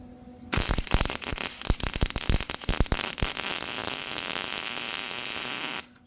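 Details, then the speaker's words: Welding expanded metal decking back onto a painted 2017 Carry-On 5x8 utility trailer: a crackling, popping arc stutters for a couple of seconds while burning through the paint, then settles into a steady sizzle once it welds. "You can hear when she burns through that it's welding."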